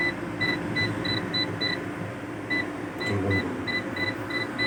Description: What could be the problem? The UPS is making a continuous tone alarm sound.